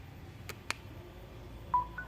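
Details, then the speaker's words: Samsung phone that only vibrates briefly at power-on with a dark screen: couple of soft clicks then a brief mid-pitched double charging chime when the charger is plugged in; mainboard and battery alive, pointing to a faulty LCD. "ada notif kalau dicas masuk, berarti ini indikasinya baterainya mesinnya nyala."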